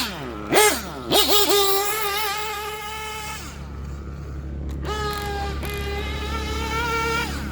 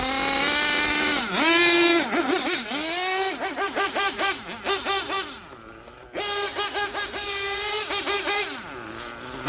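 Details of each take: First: Warm Gimar P5 nitro engine in a Hyper 7 buggy, broken in, initial tune, fresh fuel, on track: a high-revving buzz winds out cleanly on the straights with plenty of smoke and no lean bog. Normal, rich-side running. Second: Gimar P5 nitro engine, broken in, in a Hyper 7 buggy on track, fully warm: revving in bursts, then the idle hangs and rises when coming to a stop. The bottom end is going lean after the top end was leaned out.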